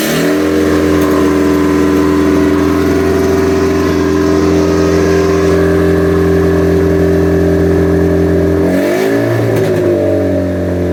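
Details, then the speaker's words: Ford Puma 1.7 engine fitted as the rear engine of a twin-engine Mk5 Fiesta pickup, first start after rewiring the loom: a loud raw open bark, revs holding, dipping and climbing; running with no exhaust fitted. "all right training control because obviously no exhaust so it's super loud but it works"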